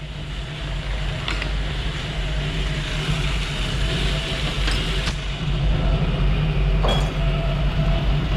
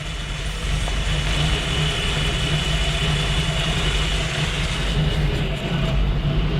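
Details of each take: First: 1974 Jeep CJ-5 with 232 engine, timing set about 20 degrees at idle: steady idle with uneven, lumpy beat and occasional stumbles; should run smoother, has a stumble at low speed, cause not yet found; number one plug to be checked. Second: 1974 Jeep CJ-5 232 engine that had been stumbling, warm idle after ignition timing set to about 20 degrees with vacuum advance reconnected: low, steady, even idle with no misses. Normal idle after timing adjustment.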